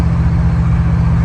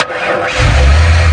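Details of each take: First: 1968 Ford F100 with a 1993 F-150 Lightning 351 fuel-injected V8 and overdrive transmission, earlier fuel-starved on the left side: steady cruise at about 65 mph, deep even drone with no popping, misses or smoke; running smooth. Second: 1968 Ford F100 with fuel-injected 351, timing light on cylinder one: cranks briefly, catches and settles to steady, dull, heavy idle with lazy low note; ignition timing way too far retarded, distributor to be loosened and advanced.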